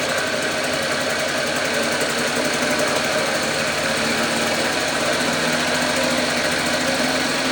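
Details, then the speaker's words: 1954 Lawn-Boy RPM 8FH13LB two-stroke mower, dormant 50 years, first start after carb cleaning, temporary tank: high frantic buzzing held flat out without settling; air leaking past the super loose throttle, no control, runs wide open. "It just I feel like I have no control over the throttle and I need I feel like this throttle is just super loose and there's air leaking through here which is just making it kind of run wide open."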